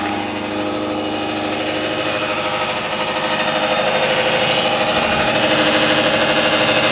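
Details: 2008 Subaru Impreza Outback Sport, 52k+ miles, cold start: steady idle with a rhythmic beat about three per second and a raspy upper-end edge; odd engine noise, cause unconfirmed, otherwise runs fine.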